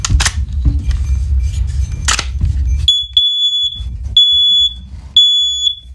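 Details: First Alert OneLink hardwired third-generation smoke alarm on test: after room noise, a piercing high beep in repeated three-pulse groups; same pitch as, and possibly a hair louder than, the previous unit; working normally.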